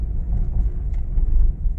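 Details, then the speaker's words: Honda Mobilio test drive on a rough village road after the loose stabilizer link was tightened, not replaced. Only a deep steady road rumble is heard, with no suspension knocks or clunks. The earlier clunk is gone and the suspension is quiet. "Sudah nyaman ya Bro Ya enggak ada bunyi seperti tadi bisa didengar halus tidak seperti sebelum kita Kencangkan link stabilnya ini walaupun enggak diganti tapi sudah tidak bunyi ya Bro ya"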